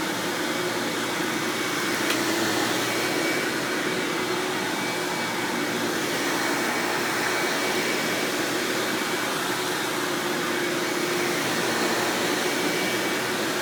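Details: 1997 Hoover Dirt Finder Power Drive self-propelled upright vacuum, model U6331-930, Elite style, running: steady, even motor roar with smooth airy rush, no rattles, surging or belt slap; exceptionally smooth, surprisingly quiet, normal running.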